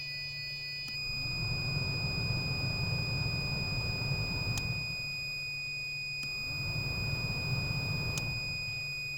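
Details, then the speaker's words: 2009 eighth-generation Honda Civic blower motor powered directly with a circuit tester during diagnosis: spins up to a smooth, even hum with steady pitch, no grinding or rattle, then drops off; blower motor works normally. "and it does. So, our blower motor works."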